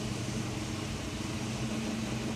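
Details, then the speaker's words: Ford Falcon V8 with lumpy solid cam, just fitted new water pump, no choke, fan on: low even idle with steady rumble, no knocks or ticks; healthy idle. "Start him up. Ah, you can never get sick of this sound. The sound of a lumpy solid cam"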